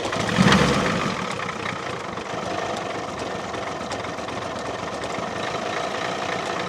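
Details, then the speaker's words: 1989 Ford F250, 7.3L IDI diesel, first run after sitting 6 years: after a brief rise it lumbers and stumbles, barely holding idle. Air in the fuel system is suspected. "see it's barely running right now I don't know what's happening unless we've got to hold to some more air or something"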